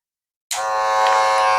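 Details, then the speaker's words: Wahl Magic Clip cordless clipper after repair for weak, smoking motor (dynamo cleaned, sponge pad added for cam follower); switches on to a steady, even high buzz with no stutter or rattle; charging and power normal. "Nah, di terakhir kesimpulannya kita coba tes lagi kembali apakah chargernya dia sudah berfungsi dengan normal. Ini dia normal,"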